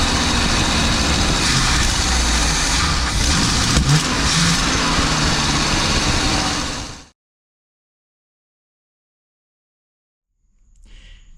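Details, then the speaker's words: Birchaven motorhome V8 with Quadrajet carb, first runs after 12 years, fuel primed into the float bowl: loud, steady fast idle that never drops, then cuts off; choke stuck closed on a cold engine, high idle until warm. "Of course, none of the choke is working correctly. It's closed, which is no big deal."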